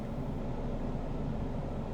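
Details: 2014 Nissan Frontier that ran rough and stalled with no codes, after a new PCM and an air/fuel ratio sensor replacement. Idles at about 750 rpm with fuel trim near 98 (2% rich). Low, steady rumble with no stumble: a normal idle.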